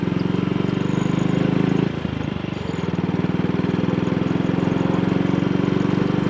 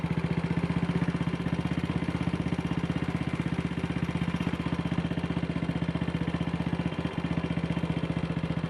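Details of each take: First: Single-cylinder motorcycle on a short test ride after the misfire fix (twisted, dislodged needle clip refitted in Wassell Evolution / Amal Concentric carburettor); thrums evenly at steady cruising, about 45–50 mph indicated, running nicely at low revs, no pops or stumbles. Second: Single-cylinder motorcycle with Wassell Evolution (Amal Concentric type) carburettor, after refitting the dislodged needle clip: it idles evenly with steady pulses but still a little fast; rider may need to adjust the throttle stop screw.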